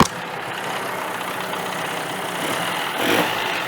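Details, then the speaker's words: 1985 Johnson 20hp outboard starts easily and settles into a steady, even idle with no misses, knocks or stumbles, pumping water properly. "That's a runner. That's a runner right there for sure. She's pumping water like she should and all that fun stuff."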